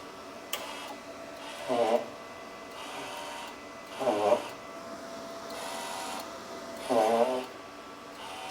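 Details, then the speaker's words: Everlast Cyclone 200ES MIG welder feeding wire out through the gun: three squeaky rasping bursts about every 2.5 seconds from the wire spool, which is dragging tightly. "That's just my spool making that noise. Okay, we got the wire out of the gun here."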